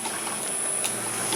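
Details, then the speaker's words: Materials processing machine (can crusher/copper cutter) build, switched on: light irregular relay clicks about every half second over a hiss, motor not starting; owner suspects a coil or wiring problem, unconfirmed. "it's on and it's not working what have I done wrong it's clicking the relay is"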